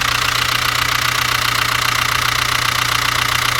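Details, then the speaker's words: $450 2001 Saab 9-3 Turbo auction car after oil pressure light and stall, restarted: rough idle with even rattle about two and a half per second over harsh hiss, no knocking, no smoke, rattle not worse; cause unclear. Rattle at idle. "he sounds rough but she's running good there's no knocking that's a big deal it's not knocking I don't think it's rattling any worse than it was earlier"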